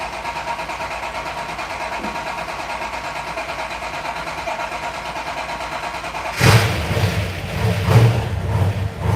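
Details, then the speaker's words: Nick's 1970 Dodge Challenger V8, first start after winter, cranked to bring up fuel and prime oil pump: steady churning rumble, then catches and blips with deep even pulses before settling; healthy cold start and idle. "here we go first start up after the winter so we might crank a bit I'm going to crank it to bring up the fuel Prime the oil pump here we go"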